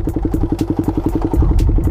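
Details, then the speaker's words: Raider 150 motorcycle just fitted with a new spark plug: even single-cylinder putter at about ten beats a second with no misses or clatter. Normal, healthy idle. "Ayan 'di ba? Na-ander naman siya."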